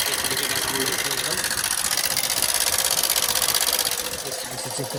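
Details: Hero Super Splendor BS6 i3s, 4321 km, running: fast, dry metallic ticking around four taps a second; no engine oil at all in the engine, worn, oil-starved rocker arms and rocker pin tapping.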